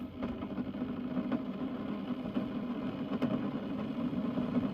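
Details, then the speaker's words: Keurig K-Mini single-serve coffee maker heating, light fading and flashing: soft, irregular bubbling rumble over a low hum as water comes to the boil; normal boiling, nothing amiss. "So the light is doing this, is fading on and off and flashing in random patterns. And you start to hear it boil."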